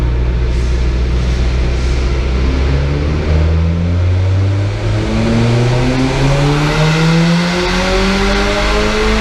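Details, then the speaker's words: Turbo van on dyno for load, live laptop mapping after new wastegate springs and bigger fuel pump: deep note climbs smoothly under load, no misfires or knocks; slightly rich flat out, about 172 kPa boost. "Sounds good though. Just notice it's a little bit rich flat out as well."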